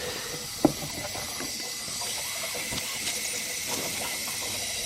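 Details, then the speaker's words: Mazda RX7 turbo intake boost leak test: loud steady hiss of air escaping through holes in homemade welds and the manifold, suspected cause of turbo lag; eBay blow-off valve also leaks. "i'm struggling there yeah it's a big leak so just a quick test shows me my wildest shit and there's holes all over the place"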